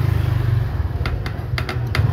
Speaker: Umuugong na lang siya. So pag ganyan ang case is ano natuyuan ' langis at malamang sira na 'yung shafting or bushing kaya ganyan. Lumalagatok na lang siya.